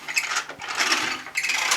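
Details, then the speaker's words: Vax Air Revolve Pet bagless cylinder vacuum, new on first use: scratchy high squeaks and rubbing in uneven bursts as the power head is rolled back and forth; owner suspects the power head wheels need oil. "obviously I'm going to have to put a little bit of oil on the wheels of the power head because I could hear the squeaking which wasn't very nice"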